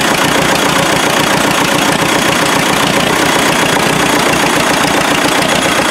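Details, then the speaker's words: Freshly rebuilt MD tractor engine, stuck for about 40 years; uneven lumpy diesel chug of about 220 beats a minute as it bounces between two and three cylinders; misfire cause not yet found. "it likes to bounce back and forth between two and three cylinders on diesel hopefully maybe over island three nonetheless true - like I said a few bugs to work out of it yet it's running"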